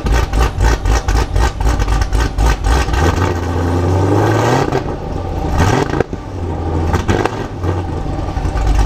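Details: Modified 2019 Camaro SS V8 (tuned, Stage 3 cam, headers, catless X-pipe, E85, nitrous) on two-step at 2500 rpm: rapid, sharp pops about four per second over a held rev, then a smooth rise. Normal, loud limiter pops.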